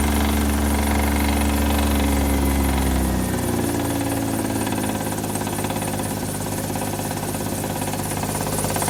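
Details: Hyundai at idle after adding Lucas oil stabilizer: regular knock about three and a half per second, unchanged by the additive.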